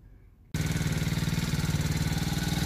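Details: About 49 cc kids' Chinese ATV that only clicked on start, after installing a new starter solenoid; starts instantly and settles into a quick, even putter of roughly fifteen pulses a second with no misses; normal running.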